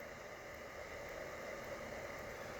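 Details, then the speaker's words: Raspberry Pi 4 aluminum case fan wired to the 5 V pin: steady airy whoosh with a thin mid-pitch whine, running flat out and loud; moving the red lead to the 3 V pin makes it much quieter. "But I noticed something that the fan itself was running pretty loud."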